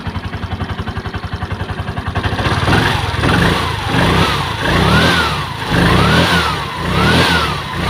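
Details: Piaggio Ape 200cc, brand-new unit stored long in a warehouse with a dirty fuel tank and hard starting, test-started on a jump from another battery in hot weather: single-cylinder idles evenly, revs rise and fall smoothly; runs healthy.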